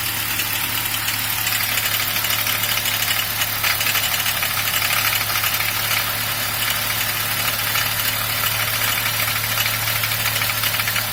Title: BMW 1er klackern Motorgeräusche